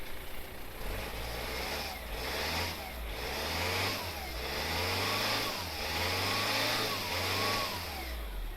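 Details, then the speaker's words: VW 2.0 TDI (BKP engine) diesel on first start after refilling oil: wavering siren-like whine rising and falling over rough engine drone; failed turbo had used all the engine oil with the low oil pressure light on. "And that, my friends, is one rag turbo."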